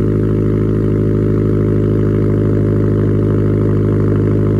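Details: Subaru STI complete cold start after sitting unstarted for two months: deep steady idle with even firing and no knocks, misses or ticks; normal cold start idle.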